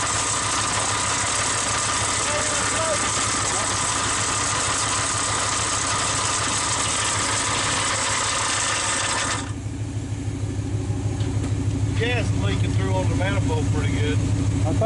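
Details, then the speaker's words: 1946 Dodge truck engine at first start in decades, idling: exhaust hiss with a dry, whirring rattle on top, traced by removing the belt to the generator. Worn generator bearing noise. "how our noise that generator we're gonna pull the belt off real quick and start it back up to what you're involving knowing okay I think we found her noise"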